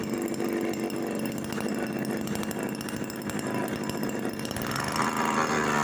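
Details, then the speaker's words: Homemade mini two-stroke engine (built from a fridge compressor, no reed valve, needle sharpened and thinned to avoid fuel starvation) first run on petrol, running cleanly with a steady high raspy buzz; clicking at lowest rpm is just the strap moving, gone at mid rpm. "Jadi, jika RPM sangat rendah, akan terdengar suara karena sedang bergerak."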